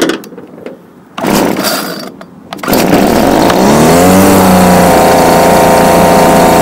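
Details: Homelite UT20042A string trimmer, wouldn't start, after replacing carburetor with a C1U-H60: after a few pulls the small two-stroke catches, revs up and holds a steady buzzing run; running properly.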